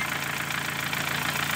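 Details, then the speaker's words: 2013 Dodge Forza with a strong engine fault (speedometer also dead); the car misfires although no misfire codes are stored. Rough, uneven stumbling idle: cylinder misfire. "primero vamos con la falla de cilindro no sale como les dije reflejado fallas de cilindros y el carro está fallando"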